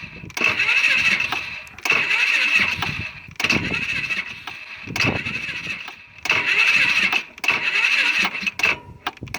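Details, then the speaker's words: Polaris Sportsman 500 ATV, about 12,000 km, problems began after a rollover: repeated sluggish one-to-two-second cranking bursts that never catch, getting slightly quicker; owner suspects the aftermarket battery, which always cranked slower than the original. "Well, starting to get a little bit quicker."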